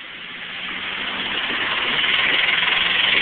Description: 2001 Chevy Cavalier Supercharged with a really bad lifter tick